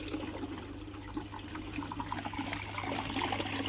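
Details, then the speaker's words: Samsung Ecobubble 8 kg washer in service test mode, with the UC error cleared: water rushes and trickles steadily over a low even inlet-valve hum, a normal free-flowing fill. "if I go to test now if we press this it will start and turn the water on this side first"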